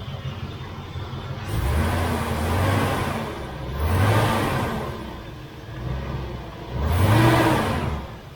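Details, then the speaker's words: 1968 Chevelle Nomad under restoration: even idle with three smooth throttle blips, revs climbing and dropping cleanly; the engine runs fine. "Somebody commented last episode, "Oh, why didn't you start it up?" Well, there it is. She's running."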